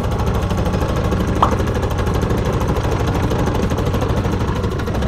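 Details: Italika WS motorcycle running very loud with a quick steady knock, about three a second, that sounds like a connecting rod but comes from a worn CVT clutch; owner also reports heavy vibration and the rear wheel turning by itself.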